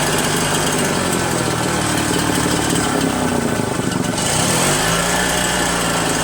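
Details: RedMax EBZ8050 gas backpack blower two-stroke after new piston rings fixed no compression (rings very tight, hard pull, hard start): revving steadily at high buzzy pitch, wavering slightly then settling; runs evenly, compression restored.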